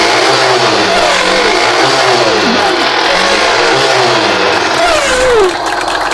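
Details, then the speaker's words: Yamaha YTX 125 that stalled, misfired and sputtered, after carburetor cleaning and refit: small single picks up cleanly on each rev blip and settles back without popping or sputtering; running healthy, no longer sputtering. "At okay na. At hindi na siya papugak-pugak."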